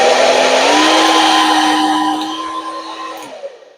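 A steady, even motor hum with airflow rush runs cleanly without dropouts, then winds down smoothly at switch-off; the dryer is working properly.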